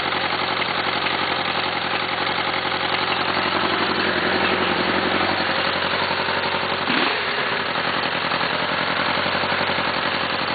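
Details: Suzuki GSX-R, first-gen oil-cooled engine that hydrolocked and bent the cylinder 1 connecting rod: rough idle with a regular hard knocking on the engine beat, steady through a small blip; rod knock.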